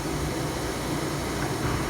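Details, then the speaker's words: 2008 Toyota Prius A/C with a previous no-cooling problem and condenser leaks, now charged by weight to the full factory 512–520 g of refrigerant: only a steady fan rush, compressor barely audible; normal quiet compressor operation. "the only thing you can hear is the fan the compressor is running but the compressor is so quiet it barely has to run because it has a full refrigerant charge"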